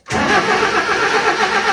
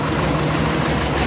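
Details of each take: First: Mazda B1800 carburettor pickup after 12 months parked, 20 L fresh petrol added: starter churns at a steady, even cranking rhythm but the engine never catches; cranks, no start. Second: Carburetted Mazda B1800 after 12 months parked, with a correct-size battery fitted and the intake cover refitted. Steady, even low rumble at idle with no knocks or misses; sounds healthy.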